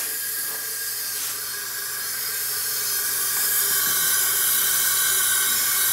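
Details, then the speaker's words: 2009 Ariens riding mower, 20 hp Briggs & Stratton Intek single-cylinder, during a leak-down test: a constant sharp hiss of escaping air at 20 psi retained, meaning 80% leakage. The leak is heard near the intake port. "and sure enough we're at 20 psi so we have a 80% leakage and you can drastically hear the air like they're coming out"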